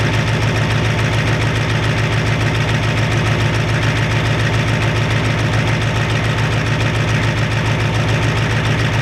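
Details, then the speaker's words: 1993 Ford F-250 7.3 IDI diesel after turning the injection pump up and purging air: even steady idle clatter, regular beat, no misses; sounds much better, burning a little oil, normal idle. "sounds a lot better anymore"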